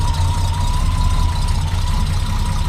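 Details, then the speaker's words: Cold start on choke of a 1968 Triumph TR250 with a non-original TR250 engine, fresh cam and new head gasket: deep steady low rumble with an even beat, no knocks or misses; normal cold idle. "We'll go ahead and start it up. Pull the choke just a little bit. It's cold right now."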